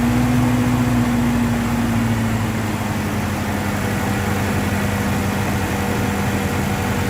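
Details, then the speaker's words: Toyota Vigo after fixing morning no-start by refilling empty radiator and low fuel: smooth even idle with faint steady hum, no misses or knocks; engine running cool and normal at idle. "นี่ก็ถือว่าสตาร์ทติดแล้วนะแกทำงานเย็นปกตินะถือว่าโชคดีมากนะ"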